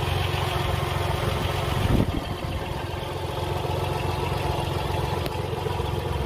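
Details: Car engine idling with antifreeze leaking, noise coming from beneath the pulley: steady rough grinding rumble that stays with the running engine; failing water pump.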